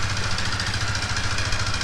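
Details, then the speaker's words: Yamaha R15 at idle: steady hard metallic clatter over a rough beat from the cylinder; piston and ring knock in the cylinder caused by running low on oil without timely oil changes. "อีกแล้วมีเสียงดังเครื่องมีเสียงดังแบบนี้นะครับมาดูฝั่งนี้นะครับเมื่อได้ยินเสียงนะครับในเจอเสียงของลูกสูบและแหวนนะครับที่ดังอยู่ตรงห้องเสื้อตรงนี้นะครับอาการนี้มีสาเหตุหลักสาเหตุเดิมคือน้ำมันเครื่องแห้งนะครับ"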